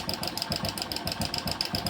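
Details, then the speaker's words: Hero Passion Pro at idle, about 15 days to a month after a new timing chain was fitted. Rapid light metallic ticking, about seven clicks a second, from timing chain rattle. Noise stops when the chain adjuster is checked, so the tensioner is judged faulty and to be replaced. "तो दोस्तो बिल्कुल आवाज बंद हो गई देख सते तो यह इसका चैन ए जस्टर खराब हो चुका है जिसे कर हवाज आ रही है"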